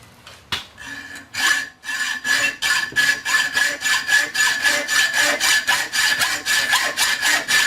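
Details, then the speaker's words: Hand hacksaw cutting stainless steel bar: steady rasping strokes at roughly two per second, with a ringing note that shifts as the blade nears breaking through, signalling the cut is almost complete. "Hear that tone change? That means you're getting pretty close."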